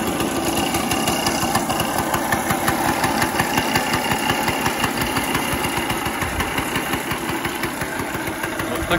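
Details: Early-1970s Elektron scooter, 642 km, first start after 45 years in storage, primed with petrol: the small two-stroke pops along at a brisk, fairly even beat, idling on its own. Normal idle.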